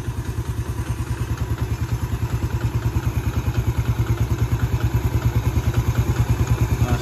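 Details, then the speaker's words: Yamaha Vega ZR after repair for a rough, whining engine, with crankshaft bearings replaced and a faulty stator coil as the main cause: even idle thump, about three beats a second, with no whine or rattle; smooth normal idle. "Alhamdulillah ini langsamnya sudah halus. Coba kita gas sedikit. [Musik] Oke, ini langsamnya sudah sangat halus, sangat berbeda jauh dengan yang sebelumnya."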